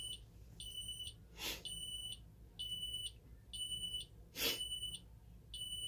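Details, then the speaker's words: Ademco 6128 alarm keypad arming to away: high-pitched exit-delay beeps stutter with longer gaps and uneven beep lengths; not a power issue, the keypad's own piezo sounder is faulty. "You can hear that the piezo kind of stutters a little bit with its timings. You can kind of hear some longer gaps and a few longer beeps as well. That's not an issue with power to the keypad. That's just an issue with the keypad itself, unfortunately."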